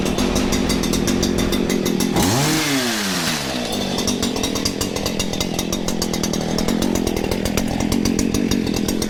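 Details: Stihl FS94 two-stroke trimmer after recoil replacement, burning off old bad fuel before tuning: buzzing at a low, slightly uneven idle; owner thinks it is running rich, possibly smoking.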